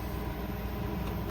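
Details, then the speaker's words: Maytag fridge that wasn't cooling, evaporator fan loose and noisy from broken brackets, after a custom metal-wire bracket repair: soft, steady low hum, even airflow, no ticking, scraping or blade strike; fan running normally. "Okay, so the fan is installed and the is running now just like it should."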